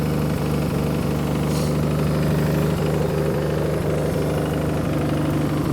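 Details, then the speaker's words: 1966 Plymouth Barracuda Formula S engine, revived after decades sitting; lumpy slow idle around three beats a second, a touch low and loping; idle screw may need turning up slightly or timing increased. "might have to turn the idle screw up just a hair yeah"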